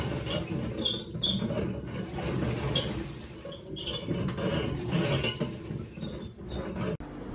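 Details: LG washing machine with failed hub clutch assembly, also leaking water: coarse, uneven grinding rumble under the tub as it turns, the clutch hub bearing broken up.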